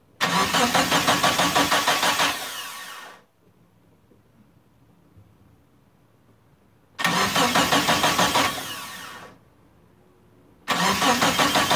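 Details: Turbo Eclipse GST, first start attempt after about 9 years off, battery charged, fresh fuel: two long cranking bursts, an even starter chug around three per second, never catching. No fuel pump prime heard; scan points to the fuel pump, bad or faulty wiring. Cranks, won't start.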